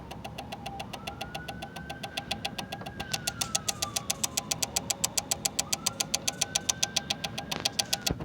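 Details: Fuse box with the car off: rapid, steady ticking about six clicks a second with a faint rising and falling tone behind it; owner suspects it is why the battery keeps dying.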